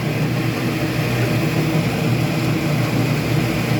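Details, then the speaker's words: Speed Queen commercial washer after a drive belt change, starting the agitation cycle after filling with water, with the motor spinning. Even, steady motor hum with a low drone and no squeal, slap or grinding; the belt drive sounds healthy. "okay so the rain cycle has just finished building water and i think it's going through the agitation cycle right now yeah you can see the motor is spinning"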